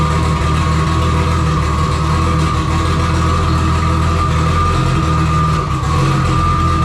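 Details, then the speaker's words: First startup of a freshly wired engine with new full exhaust and silencer: loud, uneven, lumpy stumbling idle with a faint steady whistle; trigger setup was wrong, ran fine on crank sensor only. "I had some issue with some trigger setup going wrong uh it was not running right I figured out that if I ran only on the crank sensor it worked fine"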